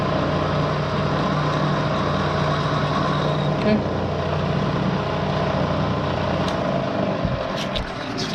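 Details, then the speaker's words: 1970 Bridgeport milling machine, found dirty and abandoned, head in low range at about 200 rpm: even, steady hum with a low drone, no knocks or grinding; head running normally. "it's not bitching at all"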